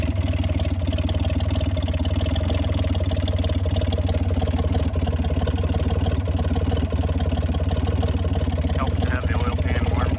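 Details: 1965 Mack B61 crane truck, Mack Thermodyne non-turbo diesel, long parked, block heater and boosted batteries, warmed up: deep, even low-pitched idle with steady beat, no knocks or misses; normal idle.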